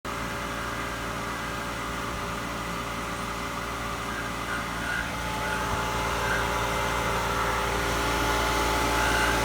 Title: Jandy Pump grinding noise